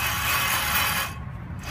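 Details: 2004 Chevy Silverado 5.3L, jacked up, hub spun by hand: a coarse, gritty rumble with a hiss on top, steady as it turns; a worn front wheel bearing that whined at highway speed, before hub assembly replacement.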